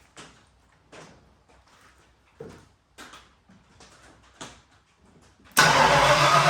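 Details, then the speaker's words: Pro Street Ford Pinto with V8, first start in the rain with no choke hooked up: several short cranking bursts with pauses, then catches into a loud steady run; hard starting, Duraspark ignition suspected faulty. "Keep running. Come on. Keep running. Keep running. All right, it's a start. Probably need to choke hooked up to it."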